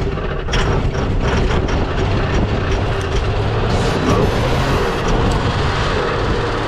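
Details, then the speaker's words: 1977 AMC Pacer parts car, run on fuel poured into the carburetor in freezing frosty weather: deep, steady low rumble holding an even idle with no knocks or misses; runs cleanly, sounded pretty big. "yeah it sounded pretty big hey a parts car that runs"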